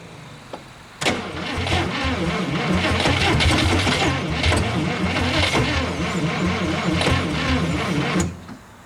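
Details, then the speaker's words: 1956 Studebaker Golden Hawk, first start attempt in 50 years: about seven seconds of steady cranking at roughly three turns a second, never catches; fuel not yet primed, so gas is added bit by bit. "that's why I just kept adding a little bit of gas this time until we got it until I knew it was primed up"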